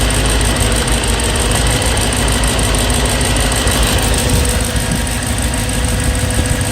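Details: BMW E92 M3 S65 V8 at 65,600 miles, oil changed 300 miles earlier: fast, light, even tick over a steady idle; louder cold, still present warm. Top-end tick, cause unconfirmed.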